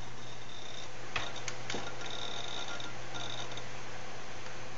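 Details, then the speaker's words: HTPC with a Raptor hard drive, booting Media Center: irregular clicks and chattering ticks over a steady low hum, the drive seeking too loudly. "you can hear it's sort of like seeking on dis and that is kind of an issue for me"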